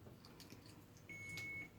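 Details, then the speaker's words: Alaris IV infusion pump during a training demonstration: a single clear high-pitched beep over a quiet room, with the display showing red occlusion. The occlusion alarm is sounding because the line clamp is closed. "okay now it's alarming red and it's saying occlusion so what do you do"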